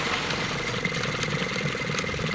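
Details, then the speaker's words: Bassett-Lowke 3/4 inch scale live steam traction engine, stored for decades, under steam with regulator eased back: soft, even chuffing ticking over slowly and regularly, trundling like the real thing, no knocks or hiss bursts; runs sweetly. "That's better. Just trundling along, so very much like the real thing."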